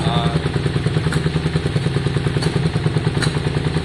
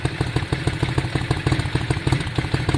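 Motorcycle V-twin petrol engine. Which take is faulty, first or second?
first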